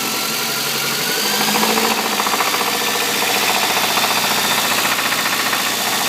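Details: Toyota 22RE four-cylinder at idle: rapid evenly timed mechanical knock; source unknown.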